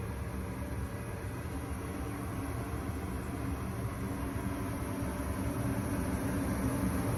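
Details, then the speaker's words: Gas furnace on newly installed A2L R32 split system, startup after gas valve pressure adjustment: inducer fan, hot surface igniter, burners ignite; low steady rumble with even fan whoosh, no bangs or rattles, normal operation. "Gas valve should open. Burners ignite. Looking good. Everything sounds good. Looks normal."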